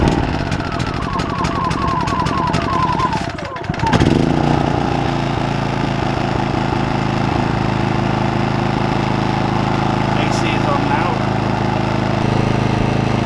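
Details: maXpeedingrods 3300W portable inverter generator boiling a 2,500–3,000 W kettle near its full capacity: engine note jumps, then holds a louder, steady, higher drone under heavy load; working hard, straining the motor, but coping.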